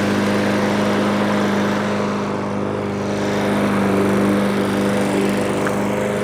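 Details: Troy-Bilt TB320 21-inch rear-wheel-drive self-propelled mower, Briggs & Stratton 725 series EX 190cc engine. Discarded and left for dead, now serviced with its missing spring replaced. Steady, even drone while cutting with no surging or misses: normal running under load.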